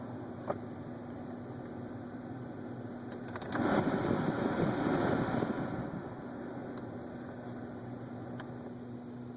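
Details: 2011 Ford Focus at 23K miles, heater rarely used: over a steady cabin fan hum, loud rapid clicking for about two seconds when the heater is switched off, as if the vent gets stuck.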